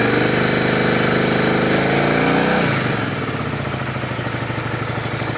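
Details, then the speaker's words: Honda Shadow V-twin bought broken, leaking some oil, spark plugs recently swapped: brief rev falls back to a steady, even idle lope with no misfires or knocks; idle sounds fine, though owner says it sounds bad when riding. "sounds good at idling she sounds perfectly fine but when you're actually riding the bike that's when it starts to ride and sound like [ __ ] so she sounds fine right now"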